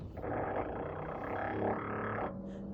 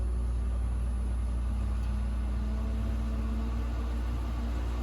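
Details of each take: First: Whirlpool French door fridge: loud groaning, growling roar for about two seconds when doors or drawers are opened or closed, from evaporator fan blades scraping built-up ice. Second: Whirlpool French door fridge after fix: steady, quiet low hum with soft fan tone from the freezer evaporator fan running normally; the earlier noise on opening or closing doors came from ice buildup on that fan.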